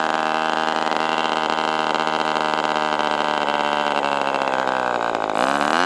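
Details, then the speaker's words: Ross Black Demon 61 glow engine on first run with Perry carburetor: high-pitched scream sags and wavers near the end; the carb barrel binds at idle, so the lowest setting stays around 4,000-plus rpm, then drops and stalls. "So, it's hard to actually find an idle speed, but I'd get it to what I It seemed like the lowest movement and it would still be like 4,000 something and then it would go way down and then just die off."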